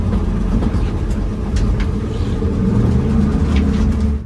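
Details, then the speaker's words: New drift car after on-track incident, driving back to pits: coarse, uneven low rumble from the rear under steady load; rear end sounds rough, nothing visible underneath, cause unknown. "I do not like how the rear end sounds. This sounds rough."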